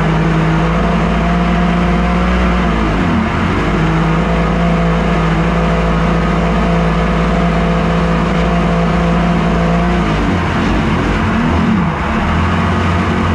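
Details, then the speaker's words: Mini aluminum jet boat with a swapped-in 1100 Kawasaki triple (120 hp, up from 63) on its first water test: the engine drones, then stumbles and sags twice under load, running terribly though fine on the trailer hose; cause unknown. "it's like it runs fine on the hose but you saw when I was out there it was terrible it is a Kawasaki after all"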